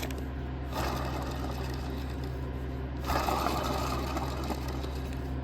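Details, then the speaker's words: Lucas alternator removed from 1969 Triumph TR6, hand-spun: dry gritty rumble from bad bearings over low hum, pulley wobbly and out of alignment; being replaced with GM alternator conversion. "see the bearings are bad and then the pulley is wobbly too so it's out of alignment"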